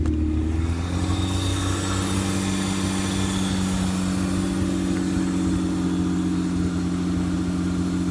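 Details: 1992 Toyota MR2 with a freshly finished 1MZ-FE V6 swap: the engine catches and settles into a smooth, even idle with a steady low drone. No misfires or knocks; a healthy V6.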